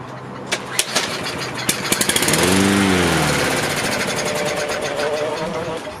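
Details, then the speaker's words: Toro Recycler AWD mower, Briggs & Stratton engine, cranked after draining much oil from the cylinder, no fuel yet: a few sharp pulls, turns over firmly with even beat; sounds strong, no knocks, pings or strange noises. "Well, that sounds strong. Go ahead and go for another hit. I'd definitely say it sounds strong. No knocks, no pings, no strange noises."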